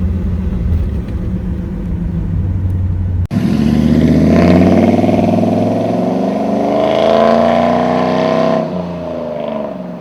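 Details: 1997 Chevy 3500 4x4 with 454 big-block V8, restarted warm after a cold start: quick crank and clean fire into a deep even idle, then smooth rising and falling revs; normal warm start and revving.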